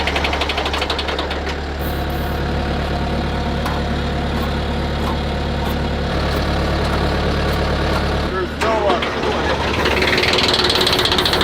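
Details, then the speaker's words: Smoky old diesel started. It clatters at an uneven, lumpy idle of about four beats a second; owner suspects a fuel line or filter needs fixing, cause not confirmed. "Smoky old girl. Sounds like it's going to run."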